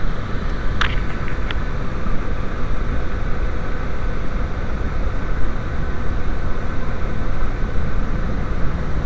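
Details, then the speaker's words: VW Passat B5 / Audi A4 1.8T turbo petrol at idle: smooth until the PCV check valve is reconnected, then a rough, uneven misfire beat from the vacuum leak through the broken valve, running lean; fuel trims rise. "you see right away a misfire is starting and it's adding fuel cuz it's too lean"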